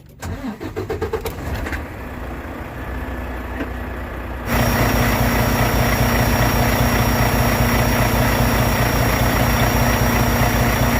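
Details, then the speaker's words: Truck diesel after a fuel filter change on a Davco 382 fuel water separator, key cycled 2–3 times to prime the fuel system first: several seconds of rhythmic cranking, then it catches and settles to a steady, even idle; normal start. "And then once it's done, you just start it up."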